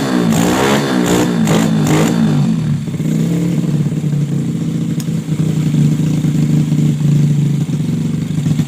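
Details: Bore-up Yamaha Jupiter Z with PE 26 carburetor, previously hesitating on throttle as if fuel-starved, after widening the carb hole: quick clean throttle blips settle into steady idle with no stumble; carburetor now picks up cleanly.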